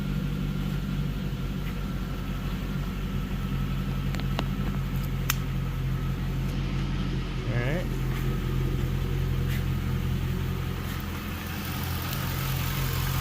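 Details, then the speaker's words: 2002 Pontiac Trans Am WS6 V8 with Flowmaster exhaust, after injector flush and new fuel pump following five years sitting: deep, steady, even burble, no misses or knocks; normal idle. "right sounds good that flow master doesn't sound too bad like it to be a little bit louder but you know it's not bad"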